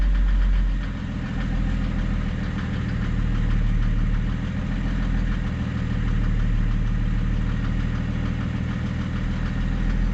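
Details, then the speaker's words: Mercedes W210 E300 turbo diesel just after a crank no-start, throttle held; low, uneven lumpy diesel clatter at idle that wants to stall; fuel pressure or glow plugs suspected, no trouble codes stored, unconfirmed. "once really wants to die doesn't it"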